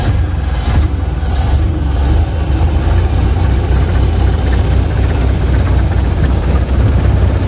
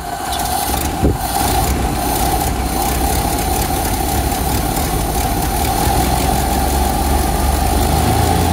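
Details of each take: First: 1928 Ford Model A after carburetor rebuild (carb was full of old fuel), driving in second gear under throttle; deep, even engine rumble with no stumbles or popping; running much better than before. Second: 1928 Ford Model A that sat for years, first start after a carburetor rebuild (old fuel like chocolate milk), new fuel strainer, idle and adjusting needles set one turn out; uneven loping idle with a faint whistle, barely running.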